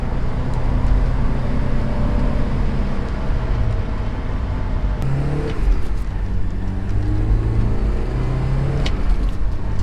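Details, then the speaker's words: 1988 Porsche 944 on test drive after head gasket replacement and top-end reseal, compression to spec: deep steady drone pulling evenly through the gears, no knocks or misses, more output than before, no leaks; normal under load. "well after taking the car out everything seems to be running well and the engine feels like it has a lot more output than before and no leaks on the return home"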